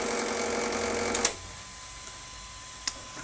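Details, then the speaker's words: Garrett GT6041 turbojet on a go-kart with an electric starter and a 15 A controller on a four-cell battery: steady, even whir with a faint high whine that stops cleanly when switched off. Normal controller cooling-fan noise. "that noise you can hear there is just a fan on the controller happening I'll just switch that off and that's pretty much it"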